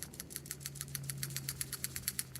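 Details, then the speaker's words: New Honda (Accord 04-12 / CR-V 02-14 family) PCV valve shaken by hand before fitting with a new crush washer: crisp, light ticks about eight a second, the check ball moving freely; a good valve, though the old one wasn't bad either. "Much more free. But honestly, the old one wasn't bad either."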